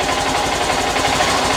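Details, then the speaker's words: Honda CB125F small single after priming the petrol, settling into a quick, even tick-over with light mechanical chatter on top; starts and idles fine. "so I'll just leave it there to tick over for a second"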